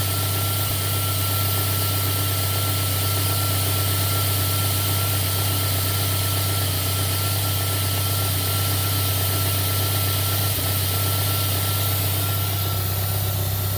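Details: JDM 3rd-gen Toyota Celica 3S-GTE turbo at idle: steady hum with occasional stumbles and an uneven beat; lean misfire that takes a minute or two to start, O2 port reading jumps to 2-3 V and AFR swings 14.7 to 16-18.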